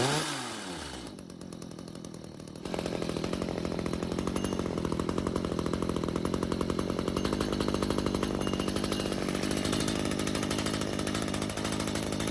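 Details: Stihl two-stroke hedge trimmer stored with old fuel, after L screw turned out another quarter turn (half total) and idle speed raised; weak stumbling at first, then catches and holds a steady crisp buzz, revving cleanly.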